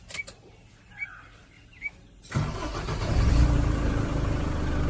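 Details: 2006 Tata Safari Dicor 3-litre diesel after starter motor Bendix replacement: a few light clicks, then a brief clean crank and it catches quickly into an even idle with no starter noise; normal cranking.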